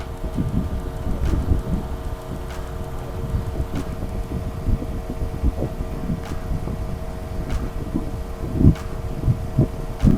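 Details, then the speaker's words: Chevy C2 at idle with a P0125 coolant temperature sensor code: the cooling fan kicks in at about 104 °C and the temperature drops toward 97; steady whirring hum with no rattle or rubbing, normal fan operation. "The fan has already come in and now we are going to wait and see how much."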